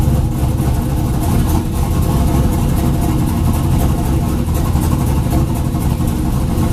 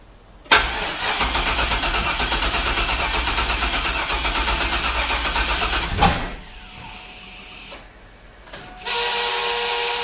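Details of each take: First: 2000 Chevrolet Camaro (F-body) with junkyard 5.3 LS V8, TH400, Huron Speed turbo kit and 1000cc injectors, after injector data was sorted, fuel reduced, throttle body opened and trans line fixed: fires straight away and settles into a strong, steady idle with clean revs, no misses or knocks. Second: 2000 Chevrolet F-body Camaro, junkyard 5.3 LS with turbo, TH400, 1000cc injectors, first start on jump box: long fast rhythmic cranking about five seconds with no catch, then cranking again; company-supplied injector data was wrong, preventing firing.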